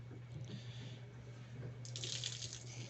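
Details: Fiat Fiorino (E.torQ engine) cooling system under pressure tester: trickling water over low steady hum, then sharp hissing spray as coolant forces through pinholes in the expansion reservoir, which needs replacing.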